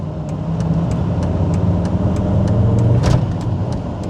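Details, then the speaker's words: VR5-powered car on a 120-mile drive home, possibly overheating. Steady ticking about four times a second over the engine drone while driving forced an emergency stop; brakes suspected stuck on and dragging. "something is stuck yeah we have to we have to make an emergency stop here because it's this doesn't sound good"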